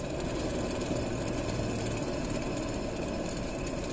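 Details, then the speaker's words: Car wheel turning, static and driving: steady gritty rumble with a coarse grinding texture from a damaged wheel bearing, usually lacking grease or with pitted rollers or races. "el primero es el Valero de la llanta este cuando está dañado al girar la rueda se escucha"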